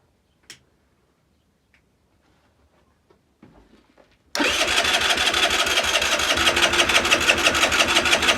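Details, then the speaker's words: Longjia 50cc scooter after carb cleaning and electrical repair, no battery, cranked on a 12 V jump starter: quick steady starter churn about three pulses a second that never fires; cranks but won't start, though fuel and strong spark are later confirmed. "Turn the key. Fingers crossed. I don't think it'll start. I think it's something else wrong, but we'll give it a go."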